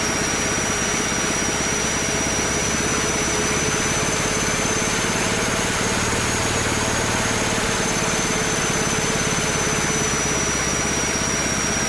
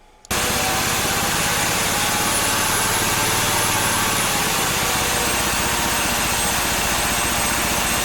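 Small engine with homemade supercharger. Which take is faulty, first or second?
second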